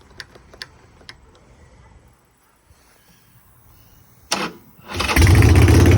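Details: 2003 Harley-Davidson Sportster 1200 carbureted V-twin, non-running for about 10 years, first start after rebuild and new wiring harness: a few clicks, a short crank, then catches and settles into a strong, steady lumpy beat. Runs normally.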